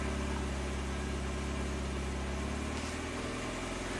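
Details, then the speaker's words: 1993 Saab 9000 CSE Turbo whose original ECM was found flooded with water, check engine light on, fully warmed up: steady fast idle holding around 1,400 rpm and never settling; high idle, cause not yet found. "so the the RPMs like to be around 1,400 all the time even when it's fully warmed up that's not normal"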